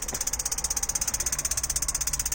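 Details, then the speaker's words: 18 L gas tankless water heater with hot water tap opened: rapid steady igniter clicks, about fourteen a second, with no burner roar; it won't ignite and gives no hot water, even with a full gas tank. "turn on the water right here the hot water you can hear that it's clicking but it wouldn't start just click for a while and then it stopped like that no hot water whatsoever"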